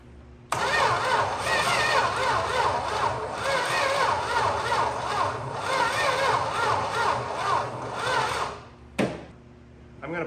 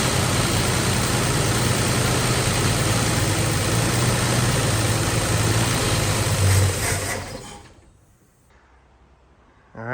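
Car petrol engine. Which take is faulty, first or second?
first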